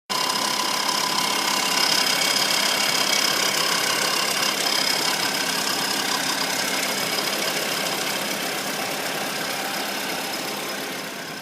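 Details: Ford Fiesta (India) on first cold start of the day: engine idles with a harsh metallic rattling whir and quick ticking about three per second.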